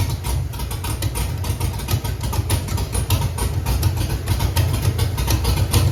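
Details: Chevrolet Camaro with Holley EFI-controlled 5.3 LS V8, lumpy uneven idle with irregular low thumps about three a second: cylinders 3, 5, 7 have no spark; dead-cylinder misfire, before cam sensor replacement.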